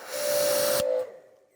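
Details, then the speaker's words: Active 2.3 electric pressure washer with Uberflex hose instead of factory hose, during repeated trigger pulls: steady mid-pitched squeak over spray hiss for about a second after each pull, with slightly longer start delay; source undetermined. "you hear the squeak so something's going on that squeak wasn't there"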